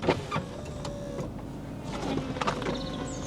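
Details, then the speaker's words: Cheap Volkswagen Golf Cabriolet, water heard sloshing inside beforehand: electric roof motor whirs steadily with a few clunks as the top folds and completes its travel; roof works normally. "I'll be honest after hearing all that water I wasn't expecting the roof to work so oh there we go it works result"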